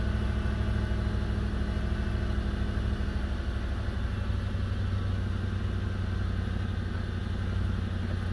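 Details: Stock 2005 Toyota 4Runner 4.7 V8: deep, rough rumble with a loose puffing chuff under the idle from a bad exhaust leak.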